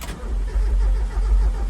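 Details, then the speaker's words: 1994 Mazda Miata with 86K miles, parked since 2013, first crank: low, uneven churning that never fires; it cranks well but no fuel pump is heard, and the owner suspects a dead fuel pump. "sounds like it's not getting fuel it's cranking good I don't hear fuel pump"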